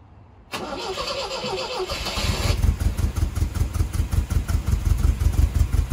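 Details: 1978 MGB, first start after carburetor rebuild (carb had been leaking fuel) and after about 30 years parked: brief crank, quick catch, settles into a steady low, even idle thump; starts every time and idles fine.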